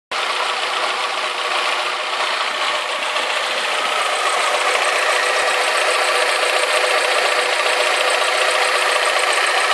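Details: Alfa Romeo 156 2.0 T.Spark at idle after new exhaust manifold, metal gasket, manifold bracket and downpipe-to-cat bolts: quieter but a light even metallic tick about twice a second remains; lingering exhaust leak suspected, not confirmed.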